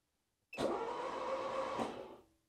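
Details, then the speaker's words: Barn-find 4WD Citroën BX, no ECU connected, first spin of engine: starter turns lazily under two seconds without catching; owner suspects bad battery terminal connections. Slow cranking. "that sounds pretty okay not the fastest moving but I think the connections on the battery is really bad"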